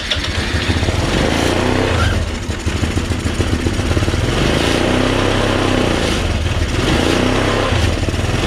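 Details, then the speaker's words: Chinese scooter single-cylinder engine after 9 years sitting, carb cleaned, Seafoam in tank, old fuel burning off; buzz rises and falls with throttle blips, no knocking, ticking or banging, CVT engages fine; runs clean though carb spits fuel back into airbox, suspected diaphragm fault, new carb ordered. "but we know it runs like a top no knocking ticking banging cbt engaged it did just fine it sounds really really clean right ricky yes sir sounds good"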